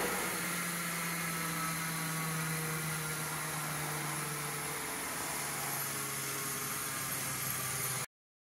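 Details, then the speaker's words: Restored 1908 Spencer Turbine central vacuum with new brushes, voltage slowly raised on a variac: steady low hum with droning rumble and hiss that shifts; around halfway to full power the machine vibrated alarmingly; excessive vibration from mounting resonance. "using a variac I slowly increased the voltage but I realized that around halfway to full power the machine vibrated alarmingly"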